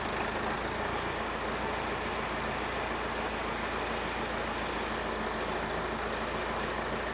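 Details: Massey Ferguson 50HX backhoe loader, 4-cylinder Perkins diesel, hydraulic pump reconnected to the engine: steady even run under a constant rushing hiss; pump and hydraulics working normally, though several arm cylinders leak.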